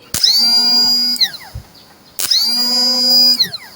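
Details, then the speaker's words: Replacement electric starter motor for a motorcycle that rode fine but would not electric-start after stopping (no kick start, can't push-start), bench-tested on a battery: two short bursts of high, clean whirring that spins up fast and winds down evenly; very strong, healthy starter. "นี่อันนี้แรงมากเลยนะครับ"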